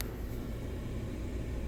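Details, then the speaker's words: Toyota hybrid battery cooling fan at maximum speed via scan-tool actuation test, ignition on, engine off, just after installing a new original Toyota hybrid battery after 10 years and calibrating the current sensor; steady, even whoosh with no ticking or scraping. "Can you hear it? It's working perfectly. I can manipulate also the speed of the cooling fan with no problem."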